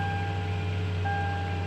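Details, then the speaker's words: Toyota 5.7 L V8 (Tundra/Sequoia/Land Cruiser 200) idling after starter replacement with heat shield bolted differently: low steady even hum, no rattles, ticks or vibration underneath; totally normal. "nothing at all that sounds totally normal the outside here totally normal and I don't hear anything at all down here that is not obviously rattling not vibrating"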